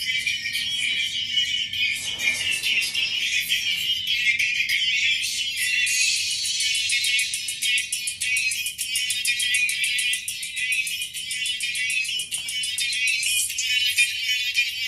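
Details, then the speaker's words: QSC K12.2 powered 12-inch speaker playing music: thin, scratchy sound from top horn only, no output from woofer; owner suspects amp going out; no bass output, distorted sound. "I'm only getting sound from like the topst part of the speaker and it's like real scratchy"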